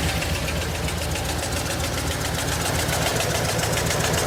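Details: Replacement vehicle at idle, heard from underneath: dull knock tapping about four times a second, pointing low in block; owner guesses bottom end, no fluid leaks; cylinders two and one misfiring; cause unconfirmed.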